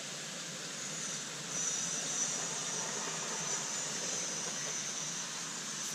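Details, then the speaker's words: Silver Lady live steam model loco gas filling: thin high hiss turning sputtery and louder as gas sprays from the filler jet sides, showing the gas tank is full. "So it just starts to spit a bit, and then it starts spraying out the sides of the jet, the filling jet. So that's filled with gas."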